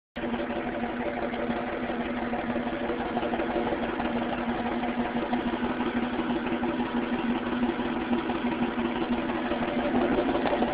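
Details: 1998 Mustang V6 idling with an uneven, stumbling misfire beat; problem occurred before the engine was later rebuilt.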